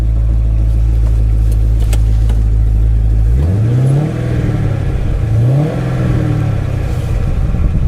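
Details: Camaro SS V8, deep even idle rising smoothly through two clean blips and settling back, no knocks or misses; gears and oil pressure seem good, sounds healthy.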